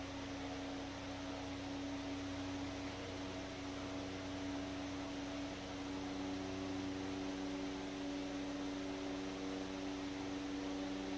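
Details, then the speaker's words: 100-plus-year-old restored Century S-3 Model 15 desk fan on high (speed 1) via dim bulb tester (200 W bulb, likely about 110 volts): quiet steady hum and airflow hiss, leveled off at speed; normal running. "I think that's about leveled off where it's going to be. So that's high, or 1."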